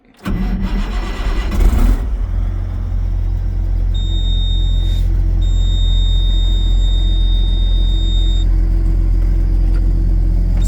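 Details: Case STX375 tractor, with fuel pump now working: cranks briefly, catches within two seconds, settles to a steady, even rumble with constant high whine; healthy start and run.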